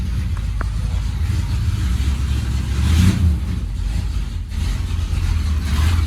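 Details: 1971 Ford F100 with 302 V8, cold start after storage since December 1: deep, lumpy idle warming up with light blips, faint puffing tick in the exhaust note; exhaust leak right after the headers.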